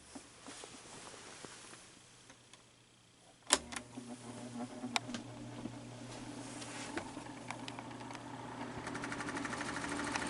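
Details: Fan motor with very bad bearings switching on and spinning up: dry scratching rasp and scattered ticks growing with speed; owner suspects excess play at back of fan hub; motor not yet opened.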